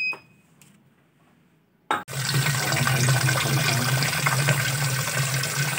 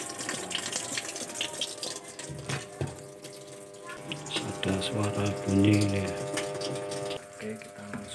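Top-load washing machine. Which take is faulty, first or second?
second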